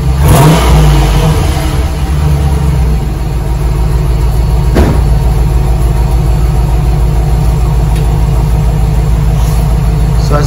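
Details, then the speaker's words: 2004 Dodge Ram 1500 Hemi 5.7 V8 with stock muffler and resonator, before muffler delete; catches, revs once, soft even idle with muted exhaust, owner says it sounds like a four-cylinder; normal start and rev. "so it's a dodge ram hemi 2004 5.7 but it doesn't sound like a truck so it's going to start the car so you can hear it"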